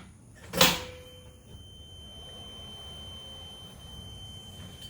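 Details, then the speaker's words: EZGO Express S4 golf cart stock reverse warning, speaker already taped over, a steady piercing high tone for about four seconds between two clunks; normal but obnoxiously loud OEM alarm. "it's just a high-pitched loud obnoxious sound and i understand what it's there for and i don't want to disable it completely"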